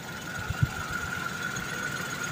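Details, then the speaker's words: Car engine after repair (fake "original" part bought online blamed), radiator water refilled: quiet, even idle with a faint steady high note, no knocking or ticking; oil light off, running smooth. "Oke k Rayan dulu oke kali ini udah selesai mobil hidup halus pumpa oli juga udah normal"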